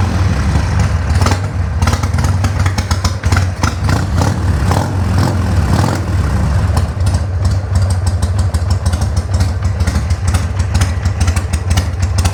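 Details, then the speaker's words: 1200 Harley-Davidson Sportster just started on choke after re-jetting the carburetor without removing it, fuel on; deep, loping V-twin idle with steady low thump and light top-end clatter, even and unbroken; normal idle. "Fire it up. Make sure it runs. Choke. Man, this thing sounds so good."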